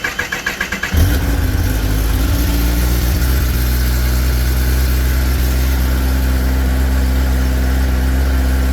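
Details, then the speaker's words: 2021–2025 Kawasaki Ninja ZX10R after swapping OEM battery for lighter Antigravity battery. Quick starter whir about a second, catches and settles to steady even idle with no knocks or misses; starts normally. "let's see if the bike cranks and starts and whatnot, so that we know everything is working the way it should."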